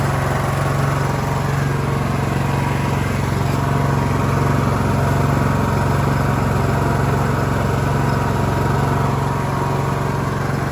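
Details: Cub Cadet LT1045 riding mower (276 hours) after repowering with a replacement engine, the original having a cracked block and seizing: small single engine running smooth and even at steady speed, no misses, knocks or rattles; healthy normal running.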